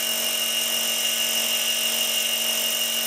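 High, steady cutting whine that pulses up and down in a regular rhythm; the spindle is surging while cutting, cause unknown.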